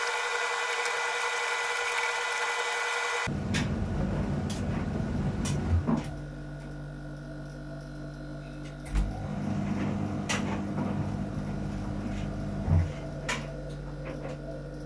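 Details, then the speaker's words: Arçelik 3891 KT A++ 9 kg tumble dryer mid-cycle with a small load: low hum, soft tumbling knocks, then a pause and restart as the drum reverses so the moisture sensor can measure dryness; normal rotation. "makine kurutma esnasında bazı anlarda duruyor ters yöne dönerek sonra tekrar ileriye dönerek bir hareket yapıyor bu harekette nem sensörü ile içerisindeki çamaşırların kuruluk oranını ölçüyor"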